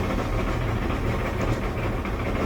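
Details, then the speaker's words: Electric LG dryer (220 V) making a steady, heavy low rumble while running, caused by a worn drum support wheel; it has four support wheels and the front ones are usually the worn ones. "today we're dealing with a LG dryer that's making a bunch of noise when it's running here's the noise and we runway noise usually this is due to a worn out support wheel"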